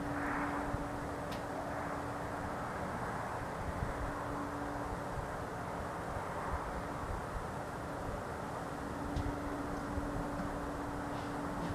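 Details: Steady loud low idling drone with one constant tone, heard outdoors through a window all night on a cold night, also described as whistling; not a generator, source unknown.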